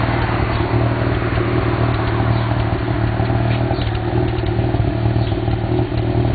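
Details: 1991 Mazda RX-7 (S5) NA street-port rotary with headers and possibly Racing Beat cat-back: idle with uneven pops and crackles, about three a second, irregular in exhaust note; afterburn at idle, owner doubts vacuum leak, cause unknown.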